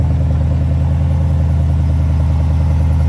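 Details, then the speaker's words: 2020 GMC Sierra V8 at idle after a new serpentine belt and idler pulley: deep, even idle with no chirp or squeal, belt drive quiet and healthy. "Moment of truth. Please, Jesus, don't be squeaking. Oh, buddy. No squeaky, squeaky."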